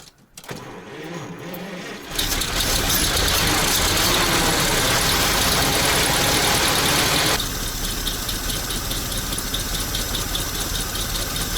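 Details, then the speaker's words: ZIL crane truck petrol engine after 20 years standing, idle raised, cold: cranks briefly, catches into a busy slightly uneven idle that drops back and won't gain revs; owner thinks it may need warming up. "Работает. Но работать хочет, непонятно что как, но оборотов не набирает. Возможно, нужно еще, чтобы прогрелся он."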